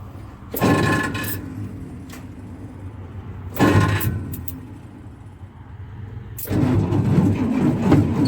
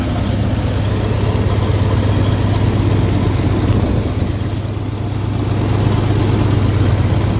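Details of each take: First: 1962 Dodge M37 that sat 40 years, test fire on an improvised IV fuel feed with a pump, plugs and wires not yet replaced: revs up in bursts, then a lumpy, uneven idle; owner feels it's missing on a couple of cylinders. Rough running. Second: 1962 Dodge M37 truck, first run after 40 years sitting, on temporary fuel feed with accelerator pump probably not working: deep, steady low rumble, even beat about two pulses a second, no misses; normal idle.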